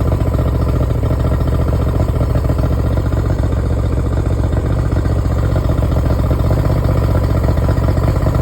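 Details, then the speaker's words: Yamaha 70 two-stroke outboard after a no-crank no-start fix, run briefly without cooling water, half choke, not revved: low, steady putter at fast idle, even firing, no misses or clatter; healthy. "I'm not revving it up. I'm not running it for long. It's fine. It's not going to overheat."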